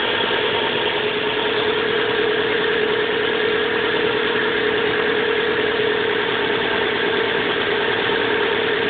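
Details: 1997 Subaru Legacy Outback petrol engine at idle, cold: dense, uneven knocking over a steady hum, worsening since winter start; goes away after about 20 minutes of driving warm, returns briefly at idle.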